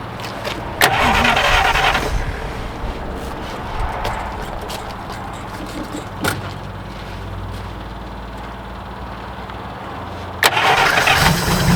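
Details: 1947 Chrysler Royal old flathead, junkyard car after sitting, started in neutral: cranks and catches, then fairly even low idle with handling noises and bumps; runs, though a major oil leak follows.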